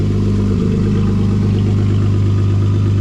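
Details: Supercharged Jeep Wrangler with muffler cut off after rock-crawling damage, first start; deep, loud, steady low rumble with raw unmuffled bark: loud exhaust from removed muffler.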